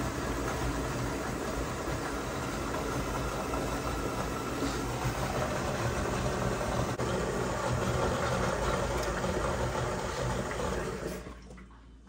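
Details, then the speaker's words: Electrolux EUC3IG8 dishwasher checked for error code E3: about eleven seconds of even water rush and pump noise, then winding down; filling and heating element running normally, water getting hot, unit working. "And you can also feel the element running. Yeah, you can hear there's it. A little bit of noise, yeah. So that means the unit is working."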